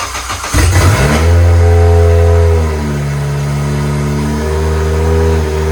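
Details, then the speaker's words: Doge's JDM Honda K24A engine, first start after install, IACV coolant line not yet connected: catches, revs up cleanly, settles to a smooth steady idle with no misses or knocks; sounds healthy, throttle cable tight. "Yeah, runs. Tight throttle cable, but Yeah. Yeah, sounds good though. Sounds healthy."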